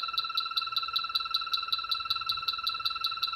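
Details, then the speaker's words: H10 battery-powered refrigerant leak detector searching a wall after the air handler and outdoor unit were checked: fast high-pitched ticking of about 2.5 per second quickens at the bottom of the baseboard. Refrigerant leak nearby. "listen for it speeding up you hear it speeding up and now that's at the bottom of the baseboard right the concrete and the the you know right there at the bottom"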